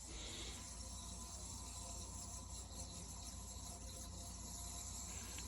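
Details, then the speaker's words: Vintage early-1970s Berns Air King 23-pint R-12 dehumidifier, coil iced, just after the compressor is switched off: a loud, steady, even hiss of refrigerant equalizing over a low hum. This is normal. "As you can hear, the refrigerant is pretty loud when you kick it"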